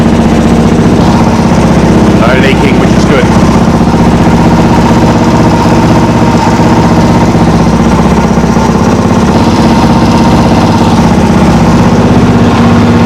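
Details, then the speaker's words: Motorcycle just after a carburettor rebuild with a new accelerator pump diaphragm, not yet warm or tuned; loose hose clamps let it suck air: loud, choppy, hunting idle about four beats a second, bogs if revved hard, owner thinks it runs a little lean. "I reckon she's probably running a little lean."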